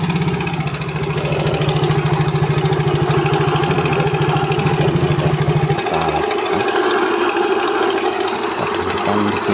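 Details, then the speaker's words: Yamaha Mio J scooter idling before repair: fast busy clatter about three ticks a second over engine note; very slack cam chain, linked to infrequent oil changes and overheating, chain to be replaced; cam chain rattle. "Sangat kendor dan kendor. Ini yang bikin suaranya kemletek ya, merecek."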